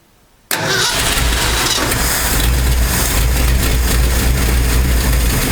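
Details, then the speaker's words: 1968 Ford F250 with a 390 FE V8, just fitted with a Pertronix Ignitor replacing the points, after a failed first attempt: the engine catches abruptly, then idles lumpy and uneven with a heavy rumble. Rough start because the engine was flooded. "I had flooded it. That was a rough start because, yeah, I flooded it."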